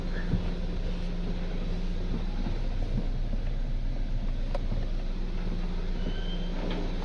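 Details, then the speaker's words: Kia Cerato steering after the steering motor was removed, opened and refitted to fix a noise: engine running, only a steady low hum while steering, with no knocks or clunks; normal steering, no knock. "देख सकते हैं कहीं पर भी कोई भी आवाज नहीं है। साइलेंट है।"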